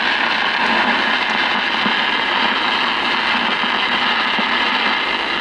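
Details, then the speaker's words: 1952 RCA Victor 1X52 All American Five tube radio, after replacing the filter capacitors: no reception, loud steady hiss with irregular crackles and pops like a thunderstorm. Silver mica disease in the IF transformers. "no reception and the classic sign of [Applause] SMD for those of you who do not know what SMD is it's silver Mica disease"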